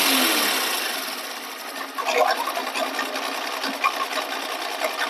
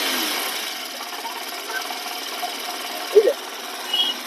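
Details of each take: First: Honda Shine 125 BS6 with 17,000 km idling: fast dry clatter that stops when the clutch lever is pulled; clutch opened for repair. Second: Honda Shine 125 BS6 at 17,000 km, after engine teardown and fitting a clutch bowl (previously a crank-like rattle that stopped when the clutch was pulled): idle with light, even mechanical chatter, no rattle or knock.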